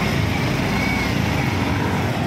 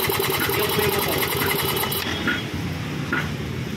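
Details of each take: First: Yamaha Mio i 125 scooter idling smoothly and steadily after the connecting rod was replaced; the earlier rough grinding noise from inside the engine is gone. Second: Yamaha Mio 1 125 scooter engine idling with a rough, fast internal clatter, then shut off. The problem is inside the engine: a cracked connecting rod with wiggle. After the repair the rough noise was gone.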